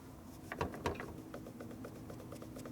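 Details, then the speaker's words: 1973 Harley shovelhead case during 93ci stroker rebuild, case still hot after heating: light, quick metal clicks about six a second as the left-hand main bearing case insert is rocked by hand in the case. Loose main bearing race insert. "Like the insert I wasn't sure about. So, hear it rattling?"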